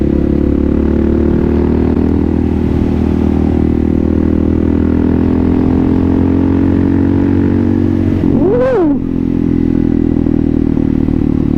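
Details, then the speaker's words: Kawasaki KLR650 single, rebuilt project bike, fully warmed up, riding: climbs cleanly through high rpm over road noise with no stutter or misfire; runs right. "it doesn't even stutter at high RPMs so that's after being completely warmed [Music] up"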